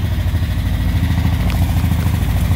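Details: 1959 Chevrolet Apache 3100 pickup, first start after 20+ years sitting, with a fuel leak noted: steady deep low rumble with an even lumpy beat and light clatter on top; old V8 idling normally.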